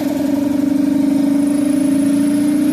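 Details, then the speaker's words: 20-plus-year-old 7 hp 240 V air compressor motor, cold: hum comes in low and lags, climbing only slowly to full speed; weak start capacitor, start and run capacitors to be replaced. "but that lag at the beginning right there was the start capacitor when it's cold it'll start lagging down again"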